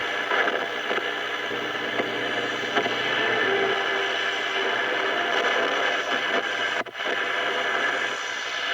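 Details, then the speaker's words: 1935 Silvertone Model 1968 13-tube radio after recapping and new power resistors, not yet tuned, with no antenna: steady AM band hiss with faint station sound and no crackling or cutting out. The AM band is receiving well. "but the am band's doing good and if i had an antenna it would get the short"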